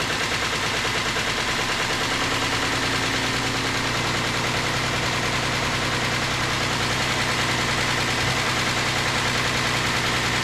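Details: 2008 Ford Explorer 4.0L engine at idle just after reinstallation: a fast, uneven metallic rattle and tick, roughly three per second, rides over the idle; timing chain noise, and the engine was pulled apart to inspect it.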